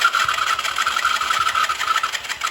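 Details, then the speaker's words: Honda CG 160 motorcycle with high-mileage use and odd engine noise, not holding idle: ragged, stumbling pops at low revs with uneven gaps between firings; misfiring badly, carburettor out of adjustment or spark plug suspected. "vai no k mesmo Aira aí tá falhando muito só só Kica só isso aí tá chando Peg ainda essa vai tá ch Peg ainda"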